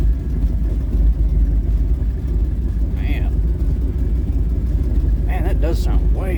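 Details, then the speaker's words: Old Ford truck "Bonnie" V8 idling about 750 rpm on a cold day after new spark plugs: steady, even low rumble with no misses or stumbles, way smoother than before; normal idle. "Oh, it does sound way better. It's idling way smoother."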